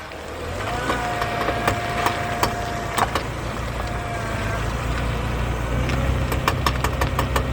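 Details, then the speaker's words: While driving, sharp irregular pops and clicks come and go over road rumble; it also rumbles on acceleration. Diff cover off showed no metal chunks or broken teeth, CVs fine, passenger hub bearing replaced; owner suspects the differential spider gears. "it just comes and goes it doesn't do it all the time but I mean that sounds pretty bad"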